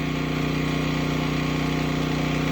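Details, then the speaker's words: Westinghouse WGen9500 DF generator running on gasoline, just out of break-in, carrying a 4-ton AC unit and the entire kitchen with no soft or hard start kit: an even, steady drone with a low regular pulse, no surging or hunting. It is not much louder than the owner's Predator. "Hopefully you guys can hear me. It's not really that much louder than my Predator either."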